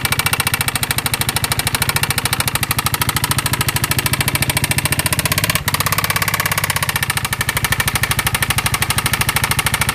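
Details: Piaggio MP3 Vespa GTS 250 scooter at idle: rapid regular tapping, about two hundred a minute, over steady idle; knock from inside the engine, cause unknown.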